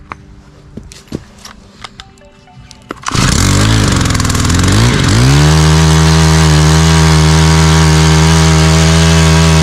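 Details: Stihl HT 131 4-MIX pole saw after carburetor and impulse line fuel system repair: a few clicks, then the engine catches, revs briefly and settles into a steady, even high idle with no stumbling; healthy.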